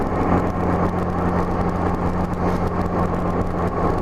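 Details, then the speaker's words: 1984–85 Honda GL1200 Gold Wing after Honda Service Bulletin carb kit: smooth roll-on to about 80–85 mph, steady even engine drone under heavy wind, no stumble or surging; pulls cleanly. "it likes to go faster than you think it's going because it goes up so smooth I don't know if you can hear that but I was accelerating up just light throttle but it's not stuttering one bit"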